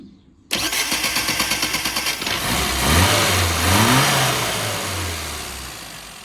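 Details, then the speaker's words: 998 Mini four-cylinder after valve clearances set, ballast ignition checked, lean spot fixed and new advance curve: cranks briefly, fires at once, revs cleanly twice without hesitation and settles. Normal healthy start and rev. "So that's the engine. Very healthy."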